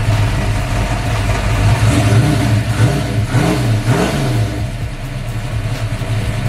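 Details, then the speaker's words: Built V8 (MSD ignition, Comp Cams, Brodix heads, stainless headers) fires up and settles into a deep lumpy idle, with quick throttle blips rising and falling cleanly; healthy start and idle. "All right, y'all, there she goes. She talking that yank."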